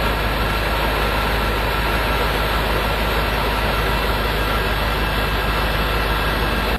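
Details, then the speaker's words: Transfer case on a 1998 Dodge Dakota 4x4 after rebuild, run a couple of minutes through 4-high, 4-low and two-wheel drive: steady, even drivetrain rumble with no clunks, grinding or whine; no leaks, all gears work, running normally. "okay we ran it all right we ran it for a couple of minutes and uh we're checking everything out and beautiful no leaks all the gears work fantastic"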